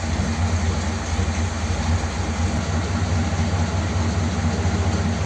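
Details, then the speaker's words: 1957 Ford Thunderbird V8 on its original four-barrel carb metering block, with new plugs: a steady, slightly lumpy idle that keeps running, even slightly better, with both mixture screws fully in. "it actually sounds slightly better with both mixture screws right the way in so what does that mean but at least it does actually run with that original metering Block in place"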